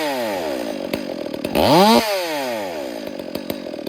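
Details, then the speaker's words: Chainsaw idling during ear-method carburetor tuning, low-speed screw leaned out: idle sags, blips up sharply, then wanders slowly back down; high, wandering idle from a lean low-speed mixture. "So I'll try to lean it out, and you can kind of see how it kind of wanders, and the idle will always come up the leaner that you go."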